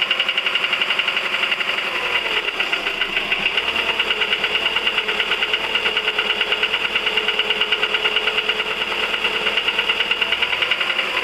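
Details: 1999 VW 1.4 16V petrol engine at idle with a crisp, even tick of about two per second that keeps time with the engine; the cause is unknown, and the owner links it to oil burning and darkening exhaust fumes.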